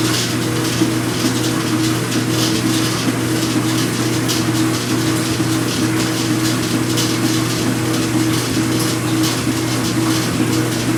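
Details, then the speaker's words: Speed Queen washer during agitation, not spin: constant tinny rattle like pennies over the motor hum each stroke; a dry washer under the machine vibrates, fixed by greasing it. "it's not that loud but it sounds like a bunch of pennies rattling together"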